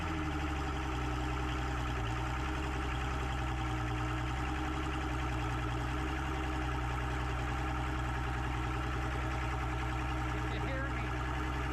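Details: Mercury OptiMax 150 outboard after its air compressor was replaced, running on the boat during a post-repair check: an even, steady low drone with no misses or knocks. Pressures read about 95–96 psi and 110 psi, a stable 15 psi difference; it runs normally.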